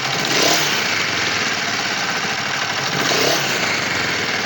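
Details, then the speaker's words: Kawasaki Vulcan EN 500 twin, warm, idles then revs twice; light valve-like tick over the exhaust beat, revs slow to drop (owner suspects air leak or carburetors); valve adjustment planned, cause unconfirmed. "Ça fait aussi un bruit étrange qui ressemble à une soupape maintenant ou je vais vous montrer, je ne sais pas si cela sera apprécié dans la vidéo."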